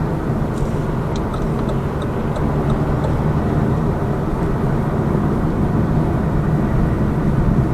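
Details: Lada Vesta Cross with AMT 2.0 robot gearbox, fully loaded, driving over rough road and joints; head-mounted action camera. Steady road and engine drone, no clunks or knocks; suspension quiet after shock absorber strut replacement cured the knock.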